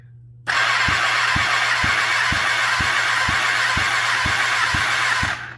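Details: Kawasaki ZX10R basket-case build, compression test cylinder 2 while cranking: steady starter cranking, about three even thumps a second with hiss; only about 100 PSI versus 195 on cylinder 1, possibly from long sitting, not confirmed.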